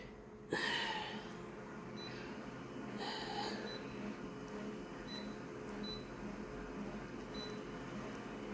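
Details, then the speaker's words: Konica Minolta printer printing a childcare flyer; mechanism hum with a horrible low-pitched squeaky chirp near start and again around three seconds; printer squeak, cause not confirmed. "that horrible low-pitched squeak you can hear"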